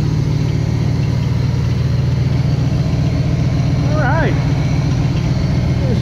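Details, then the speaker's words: 1977 Pontiac Trans Am V8 running after carburetor rebuild with new electric choke and vacuum leaks plugged: steady, even rumble with no misses; throttle response better now that the accelerator pump works. "yeah that's a lot better it's got better throttle response the accelerator pump is actually working now"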